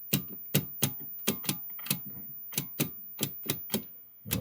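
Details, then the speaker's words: Vintage 1960s Lotus television set under restoration: sharp uneven ticks, two or three a second, over quiet hiss from the speaker; rhythmic interference clicks, owner guesses pickup of digital mobile phone/mast signals, not confirmed. "ah hear that it's picking up thumbs picking up some digital picking up the digital into picking up the phone doing its uh talk talking to the talking to the Mast I'm guessing talking to the cell phones how doing is digital communication things whatever they do"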